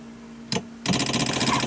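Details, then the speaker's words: 2002 GMC Yukon wiper motor, intermittently slow and won't park, worse depending on humidity: a short clunk then a sluggish motor whir; a bad ground spikes over eight volts on the ground side, G410 ground to be checked. "we've got a bad ground see it Spike up looks like it goes up to about over eight volts on the ground the ground should never see any voltage"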